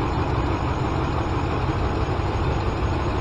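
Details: 2014 Dodge Ram with P0207 code: deep idle with an uneven, slightly lumpy beat, cylinder 7 misfiring; logic probe finds current but no pulse at one circuit.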